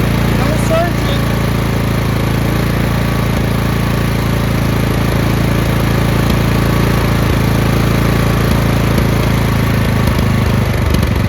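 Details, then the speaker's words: Craftsman LT2000 lawn tractor engine after fuel line replacement, which still left a slight surge; with the fuel solenoid cut off it holds a steady, even single-cylinder idle with no surging. "I'm going to cut this fuel solenoid off. That's an idle. No surge."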